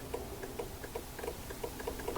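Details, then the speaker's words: Honda Odyssey power windows not working: relay under fuse box clicks quickly when its control wire is grounded with a back-probe, with no motor whir behind it; relay works but the window motor stays dead. "so when I do this I hear the relay click listen do you hear that I hope the camera is picking that"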